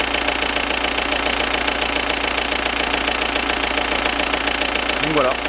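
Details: Audi Cabriolet diesel, freshly rebuilt engine on its second start: steady clatter at idle of roughly three and a half knocks a second. Considered normal injection knock.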